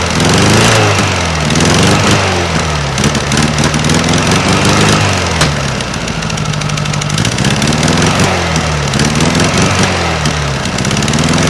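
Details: 1956 VW Beetle engine at fast idle on a Solex 34 PICT 3 carburetor: a quick putt-putt popping in the engine rhythm, from exhaust leaking at heat riser flanges left without bolts on either side, not valves.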